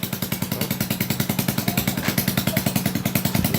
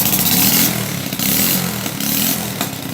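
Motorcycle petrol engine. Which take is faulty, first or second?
second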